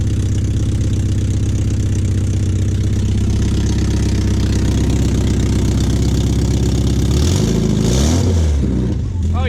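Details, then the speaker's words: Porsche 944 exhaust after patching a leak: deep, loud rumble with fast steady pulse, revs rising and falling; much quieter but still loud, another leak suspected in the Y-pipe or header. "still loud and better though nice all right well guys the 944 is much quieter now um no it's still loud but it's much quieter now i'm glad i got that fixed"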